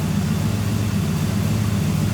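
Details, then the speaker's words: Nissan 240SX engine after sitting almost a year, first start at idle: low, uneven stumbling beat with the engine visibly shaking, misfiring badly but staying running. "See how much the engine is wobbling though? It's misfiring really bad. You can see it and you can hear it, but it is it is idling."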